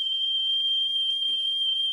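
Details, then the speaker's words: Philips 22GR814 cassette deck after cleaning heads and pinch roller, test tone playback measuring about 0.5% weighted flutter: steady high-pitched tone with slight pitch wavering, audible wow and flutter. "and you can hear the flutter a bit as soon as you go like above the 25% so this is now a 1% scale if you go higher than do 25% you will notice it"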